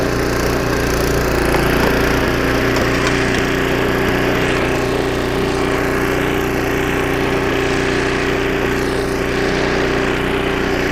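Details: 25-year-old snowblower after a carburetor rebuild (new needle and seat, carb kit), first-pull test with choke: steady, even engine drone with a firm hum held through the whole run while chewing through snow. Normal running under load.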